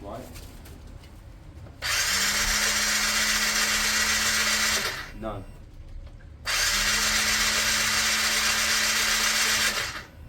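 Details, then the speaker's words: Piaggio Fly 125 scooter, non-starter, fuel pump priming and immobilizer off: two cranking bursts with an even starter whir and no compression beats, engine spinning freely; no compression, cam chain suspected off, valves found smashed. "that doesn't sound right it almost sound like it almost sounds like the cam Chain's off what's going on there uh Daniel I know what you're going to say compression test uh there's no compression there"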